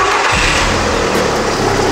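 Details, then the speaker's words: 2005 VW Polo 9N3 three-door, cheap used car, started with a booster pack before OBD scan: catches at once and settles into a clean, steady run with no misses or odd noises; starts and runs fine. "springt an echt sehr gut also da gibt nich vom Lauf her tip top"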